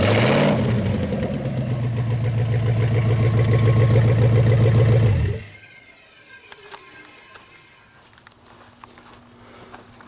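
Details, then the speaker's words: 1956 Studebaker Golden Hawk V8, first start in 50 years after rebuild with one used piston and new valves, fuel pump, carburetor: steady even idle at about 3.5 pulses per second, shuts off cleanly; normal idle, needs only fine tuning. "so there you go folks running good uh just some little fine tuning to do there but carburetor's doing good fuel pump's doing good"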